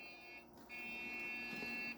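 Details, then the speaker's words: Dell Optiplex 170L desktop at power-up: a short blip then a long, high, steady beep, no amber LED; thought to be the beep code for a memory problem, not confirmed. "That sounds like the beep code for a memory problem."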